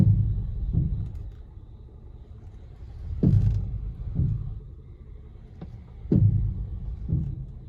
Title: 2016 Honda Pilot Clunking Noise, what is it???